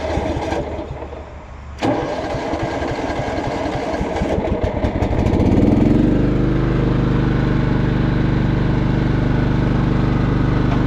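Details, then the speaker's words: 2000 John Deere LX255 lawn tractor, traded in as non-running and got running, started on its awkward choke with a possibly weak battery: cranks briefly, catches cleanly, settles to a steady, even idle with no knocks or misses; runs great. "Yeah, it runs great."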